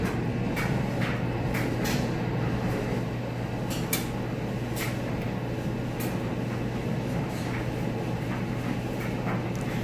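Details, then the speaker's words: Maytag electric dryer in like-new condition on time dry, high heat, with clothes and no vent attached on the back: steady low hum with a constant drone and light thuds of tumbling clothes every second or so; running normally, a little louder without the vent. "a little louder because I don't have the vent on the back of it"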